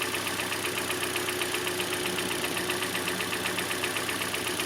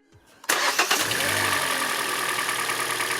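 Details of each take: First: 2014 Hyundai Elantra: rough idle with a regular tick-like pulse about 2.5 times a second from a cylinder getting no spark. The failed ignition coil was confirmed by swapping coils; spark plugs were badly worn with wide gaps. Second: 2014 Hyundai Elantra after replacing a failed ignition coil and all four original spark plugs: brief crank, clean catch, smooth even idle; no longer violently shaking on 3 cylinders.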